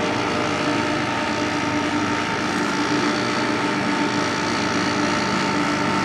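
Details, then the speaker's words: 1995 Carrier VisionAire window A/C after clean-out and fan remount, first start: steady even hum with constant fan whoosh and faint mid tone, no rubbing or rattle; running normally. "it sounds good it really sounds good that's awesome"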